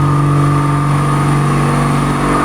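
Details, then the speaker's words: Nissan Pathfinder 4.0-litre V6 with a misfire: the engine revs with a lumpy, uneven drone and a steady low hum, running on only four of its six cylinders. "بس كده العربيه شغاله باربعه"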